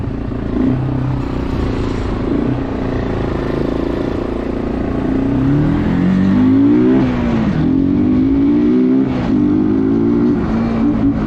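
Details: Bayou 220 ATV, sat for 8 years, on a test ride with a helmet camera; the single pulls cleanly up through the revs with no stumbling. All gears work, no bogging. Normal running under load.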